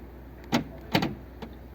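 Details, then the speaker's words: Fiat 500 central locking: with resistance applied to the cable, actuator gives two quick whirrs and a faint click, locking then springing back to unlock; stiff handle linkage binding the actuator. "if I apply a little bit of resistance to that and try and lock it can you see that it it doesn't pull it it did that time in know words the pull out if I resist it"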